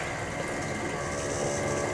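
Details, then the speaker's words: Bolde Smart Fountain Expresso digital water dispenser on 220 V, pump running: steady harsh, loud, rattly buzz, far too loud for a small pump; pump worn. "Suaranya kenceng banget ya. Buset. Suaranya ngeri."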